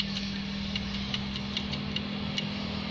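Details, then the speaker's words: Diesel truck idling with an uneven, sharp krek-krek clicking rattle, about two to three clicks a second, from the transmission, caused by a loose damper spring on the clutch disc under unstable idle speed. "Ini sangat berpengaruh sekali pada bunyi saat indel. Jadi dia bunyi krek krek krek krek krek krek krek gitu."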